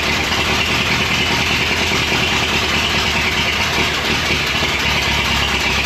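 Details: Rescued abandoned Ford Model T, back on gasoline after failing to run on moonshine: steady, even engine chatter with no misses or surges over loud, busy background; running normally.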